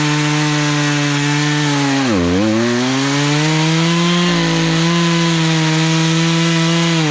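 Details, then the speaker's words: Poulan Pro chainsaw, sat three years, carburetor low/high mixture adjusted with tool kit, cutting a log; strong steady high buzz, brief bog then recovery without stalling; running well under load, chain may need sharpening. "i got it where it's not stalling out as you're cutting through"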